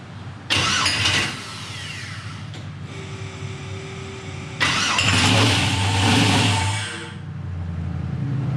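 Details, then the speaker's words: 1000 hp turbo LS Mustang, first start-up attempt after fuel system build; starter churns in two bursts, engine catches briefly but won't pick up and run; cranks but will not start. "Not good, boys and girls. Not good. I don't understand. Stand by. It sounds like it wants to start."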